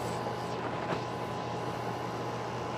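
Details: AC condenser that was not cooling after cans were left on it, restarted after compressor checks, drawing 7 amps: low, steady hum with fan rush as the compressor pulls in smoothly; normal operation.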